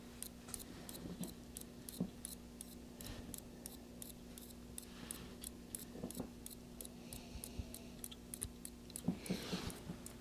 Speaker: getting 60 volts DC 60 volts DC 60 volts DC making some very interesting noises here